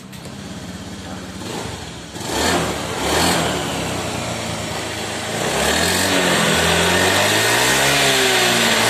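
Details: Honda Vario 110 FI that kept stalling with MIL code 52, after replacing the ACG starter, resetting and clearing the code: catches after a couple of cranks, then settles into a steady, even idle with a smooth throttle rise. Normal.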